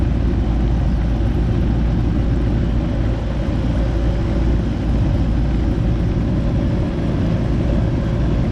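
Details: Goodman AC unit after replacing a bad 45/5 MFD capacitor that had left only the fan running: steady, even low drone from compressor and condenser fan with no clicking, stalling or hum-and-trip; normal running after repair.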